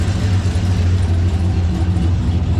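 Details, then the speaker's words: 2003 GMC Sierra 2500 HD, LQ4 6.0 with Texas Speed cam and heads and a new Huron Speed turbo kit (Turbonetics 78/75 billet BB), first start, slightly warmed up, not yet tuned; a deep, steady exhaust rumble, no leaks, no ticking or misses. "Like I said, everything looks nice and dry. Everything sounds good."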